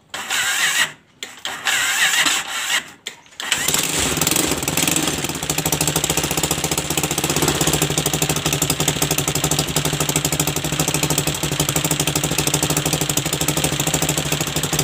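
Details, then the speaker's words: Viar three-wheeler engine: uneven, lumpy running with a harsh tractor-like clatter and lots of oil seeping out. Compression and combustion problem from a cylinder bolt that has come out on one side; the bolt thread seat needs re-tapping. "oke menyala suaranya seperti seperti seperti traktor di sini nih masalahnya dia bautnya copot sebelah"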